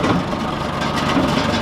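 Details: John Deere 410C backhoe diesel, started after glow-plug heating with freshly replaced batteries (old batteries were the problem): steady, even idle with a smooth low rumble, no knocks or misses; engine running healthy.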